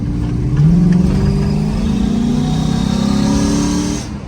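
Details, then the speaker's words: GMC Sierra SS clone V8, free-revving at a complete standstill: thin whistling whine climbs with revs and fades as they drop, a Jetsons-like sound; owner suspects a vacuum leak, cause unconfirmed. "I wonder what the [ __ ] that is it sounds like a vacuum leak or some [ __ ] but when I get a gas it sounds like that"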